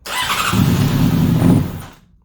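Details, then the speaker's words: Honda CBR600RR no-start test with starting fluid sprayed into the intake holes: engine catches and revs roughly about 1.5 seconds then dies, showing spark and likely compression but lacking fuel. "so that means that we have spark and uh this means that maybe we have a healthy um Engine with compression"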